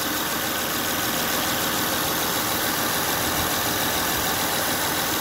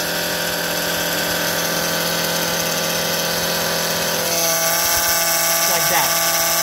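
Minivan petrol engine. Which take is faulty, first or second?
second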